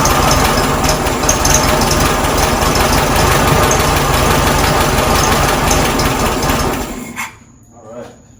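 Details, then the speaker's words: 1967 VW Karmann Ghia air-cooled flat-four, first idle after sitting since 1975: loud, busy, slightly lumpy idle fading to silence; rough idle, timing needs adjusting, likely needs new points and belt, fuel pump to sort, leak present. "alright guys well it's sounding pretty good not too bad considering that's the first time I I've had idling we need to adjust the timing a little bit"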